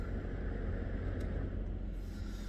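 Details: Chrysler Town and Country / Dodge Grand Caravan with the engine running after replacing the blend door actuator, whose plastic worm gear drive strips easily: steady low engine hum with no clicking or ticking from the dash; the new actuator is working quietly.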